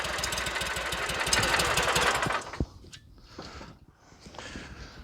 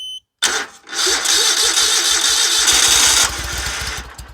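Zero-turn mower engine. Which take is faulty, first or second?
second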